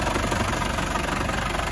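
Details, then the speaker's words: 1990 Land Rover Defender 200Tdi diesel, 174,000 miles, idling indoors just after start-up with no warning lights: steady, even diesel clatter with an unchanging beat, no misses or stumbles, and no smoke from the tailpipe. Engine runs nice and smooth. "fires right up no warning lights fuel lights working temperature gauge is working clock is even working engines running nice and smooth"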